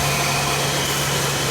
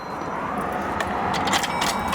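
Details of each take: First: GM vehicle, possibly a 2005, after fixing the ground strap issue that caused a crank-no-start: it now starts and idles steadily with a smooth, even hum, no misses or knocks. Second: GM vehicle, possibly a 2005, cranks but won't start: the starter churns steadily and the engine never catches. Banging on the fuel pump ruled the pump out; the cause was a broken ground strap.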